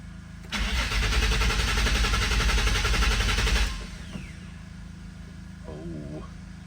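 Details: 2005 Nissan 350Z with a 69k-mile odometer and an unfinished VQ35HR engine swap, after restoring power, with a full tank and the fuel pump priming: fast, even cranking for about three seconds, then it stops without catching; cranks but will not start, cause unconfirmed.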